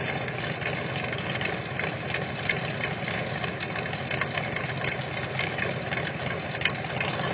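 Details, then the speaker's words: Freshly built Ford 390 with Autolite 4100 carb, timing 11 degrees, 10w30 break-in oil, stock oil pump, warm at 35-40 psi oil pressure: steady idle with light busy ticking of normal mechanical valvetrain over low exhaust rumble. "sounds good definitely hear them mechanical M Train singing away there that's for sure"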